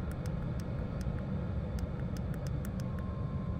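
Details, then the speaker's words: Vevor "Chinasto" Chinese diesel parking heater (5 kW unit limited to 2 kW) in a van, fuel pump frequency turned down: steady soft blower roar with sparse faint fuel-pump ticks, airflow decreasing. Normal running at low setting. "bien on sent et on entend l'air qui arrive qui diminue également en débit"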